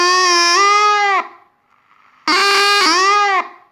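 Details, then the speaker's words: Water-damaged Panasonic RF-562 battery portable radio, first switch-on after reassembly: a loud wailing tone around 400 Hz in two one-second bursts instead of programme. The amplifier circuit is faulty; the capacitors were found leaky or out of spec. "let's turn it on and see how it will play we have we have something wrong in the amplifier circuit yeah"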